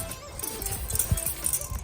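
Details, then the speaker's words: Nilfisk Buddy II 12L vacuum motor being shaken before refurb: irregular light clicks and tinny rattles, no hum; loose metal inside, a piece fell out. "There is something rattling in there, so I don't know what that could be. Then a piece of metal fell out the motor at one point."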